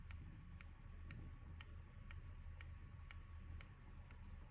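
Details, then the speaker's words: Opel Astra H misfiring, code P0302 (cylinder 2 misfire): during diagnostic activation test of cylinder 2 ignition coil, faint even ticking inside about twice a second but no spark; ignition coil suspected, ECU pulse not yet verified. "а іскри в нас немає але чуть що десь всередині щось щолкає чуть-чуть"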